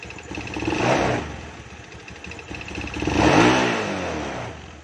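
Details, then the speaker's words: Scooter (automatic motorbike), kick-started, at idle: loud steady ticking knock from inside the engine that disappears when revved and returns at idle in neutral; suspected piston slap, not the CVT or clutch area. "tapi kalau digas berarti belajar itu hilang di layar hilang kalau di netralkan ya stasioner ini timbul suaranya seperti tadi"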